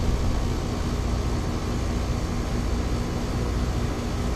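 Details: Ameristar 4-ton AC condenser in 106F heat after replacing a bulged, failed Genteq capacitor with a Mars 60/5: steady low hum with fan rush, even and continuous, no rattles or buzzing; about 18 A under load, running normally.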